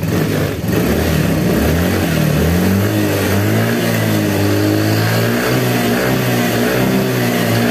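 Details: Yamaha Fazzio single-cylinder scooter (made March 2022) running on a recharged battery, charging about 13.8–14 V: smooth hum rising and falling with the throttle, no knocks or rattles; normal running.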